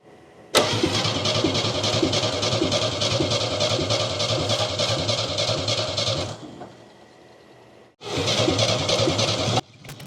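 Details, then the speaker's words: 1969 Chevy half-ton pickup engine, burned in a fire and sitting about 40 years, after restoring spark: it catches, runs a few seconds, fades, refires and quits. The carburetor floats are full, so fuel isn't getting through. It runs only if the bowl is filled via the vent tube or brake clean is sprayed in. "So, the good news is the engine will run, but the bad news is the engine won't stay running unless we fill the bowl up from the vent tube or I keep spraying brake clean down the yap of the carburetor."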